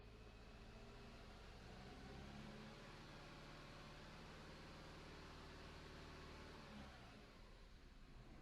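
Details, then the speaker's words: Opel/Vauxhall Astra H 1.8 petrol, hot after hard running, with new spark plugs and ignition coil fitted for misfire and jerking, codes cleared: even steady note at raised revs dropping back smoothly, no misfire. "Alright guys, it's running again. Check engine light's gone. I just ran it pretty hard to get it properly hot. Purring like a kitten again."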